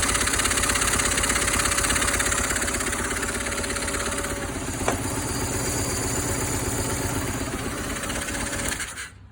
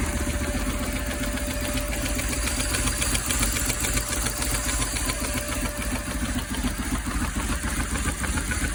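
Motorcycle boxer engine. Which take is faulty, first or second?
first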